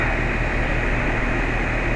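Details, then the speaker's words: House AC outdoor condenser and coil just upgraded from old R22 to R410A: even fan and compressor hum with no rattles, squeals or cycling; running smoothly, no issues. "product running like a charm no issues"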